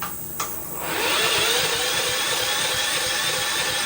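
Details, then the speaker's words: Subaru EA175V push mower, first key start after rewiring the electric start, kill held down, carburetor still being cleaned: short starter whirr, then the engine catches within a second into a steady high-pitched run; electric start works. "Look at that! Cool. So we have an electric start."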